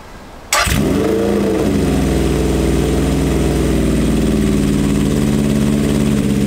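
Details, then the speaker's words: Honda CB750 SOHC cafe racer after new battery and cleaned carbs: cranks, catches and idles lumpy; cylinders 1 and 2 not firing, exhausts colder; owner suspects carbs on that side, swapping HT leads to rule out ignition. "I'm going to swap this HT lead with the one on the other side because it's not running on those two cylinders which should be nothing to do with the HT but I just want to rule it out first"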